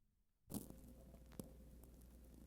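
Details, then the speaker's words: Bell System panel telephone switch, intra-office call: sequence switch waits for next ring cycle before moving into position fourteen; quiet, then sharp clunk, faint steady buzzing, second thunk as switch steps normally. "That's why there's such a long delay here, if we complete the call in the middle of a ring cycle, it will wait a moment for the next cycle to begin,"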